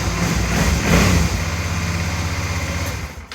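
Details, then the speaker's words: 2007 Suzuki DL650 V-Strom after cleaning gunked clutch switch and reinstalling it the right way round, started with clutch lever pulled: engine catches at once, even quick idle; starts and runs normally. "um so let's try this and uh so now it should start right up"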